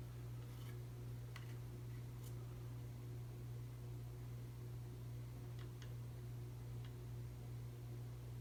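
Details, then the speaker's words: 52" Emerson Heat Fan, 3-blade fiberglass, motor dated October 1981, on its original 1982 Emerson solid-state speed control at museum speeds: a steady low electrical hum under the airflow, caused by the solid-state speed control. "You might hear that it making humming noise, it's common with solid state speed controls."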